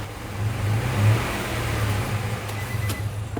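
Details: A Nissan Xterra V6 revving with an uneven, lumpy low drone and unsteady beat: P0300/P0302 cylinder 2 misfire causing power loss and shuddering under acceleration.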